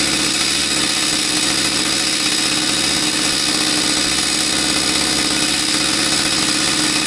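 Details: Husqvarna 66 chainsaw with a high, buzzy two-stroke note holding steady and even, running cleanly after a no-start caused by the crankcase impulse signal not driving fuel delivery was fixed.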